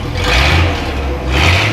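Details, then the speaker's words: Old International pickup after a motor swap to a Chevy V8, first run after the swap: strong deep exhaust rising and falling smoothly through two throttle blips with no knocking or rattle; engine sounds healthy. "sounds healthy everything works good so we broke it in"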